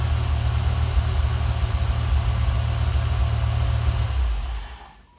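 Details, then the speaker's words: Ford 5.4L 3-valve V8 after rebuild; before it ran so violently the engine rocked: steady, even idle with no shake or miss for about four seconds, then clean shutdown; now smooth. "before it would run and violently, I mean just sit there, the engine would rock. Now it sits steady and smooth,"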